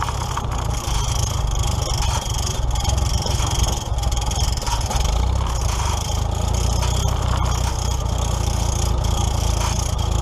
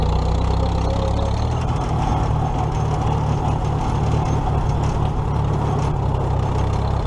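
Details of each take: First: Old tractor being prepped for the 2017 Nowthen Threshing Show, warming up after starting; rough low idle with faint scraping rub each turn as the alternator fan hits the hood, owner will adjust it – fan rubbing hood. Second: Old tractor (the H) idling after alternator repair (loosened nut fixed), before the 2017 Nowthen Threshing Show; steady even low rumble, no knocks or misses, smooth and healthy – normal idle.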